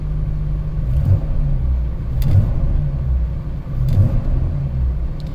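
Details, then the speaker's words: 1995 Jeep Cherokee XJ with 4-port upgraded injectors wrapped in heat blankets (vapor lock fix), low on fuel; starts without hesitation and idles with a low, even rumble, no misses, running pretty good. "running pretty good let's go open the hood for you as you can see it's running pretty good"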